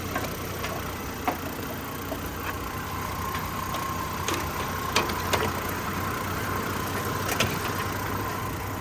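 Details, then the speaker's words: Warm 2003 Chevy Trailblazer LTZ idling after the replacement PCM was fitted: steady, even idle with only a few stray clicks and no fan-clutch ticking, which had been present since 2017; the fix cured the idle and fan-clutch issues. "wow we look at that there's no ticking 89 dollars the first time since I had this no ticket that's crazy"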